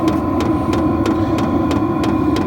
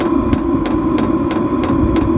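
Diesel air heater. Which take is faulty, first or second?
first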